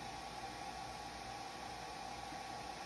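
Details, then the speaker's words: Wainlux L3 laser engraver, dead after a few hours of use and firmware updates: steady soft fan hiss with a faint constant tone near 800 Hz. The fan runs and the red aiming dot shows, but the blue laser does not fire. "it no longer works period you hear the uh fan going off"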